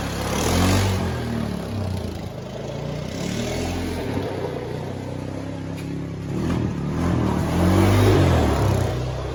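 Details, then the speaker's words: 2000 Honda Foreman 450 ES ATV, electric shift and start, 618 original miles, after petcock replacement; single-cylinder revs up and settles smoothly, even beat, no knocks; running good, no issues. "all right we've got this honda foreman 450 es it's electric shift obviously electric start running good no issues there"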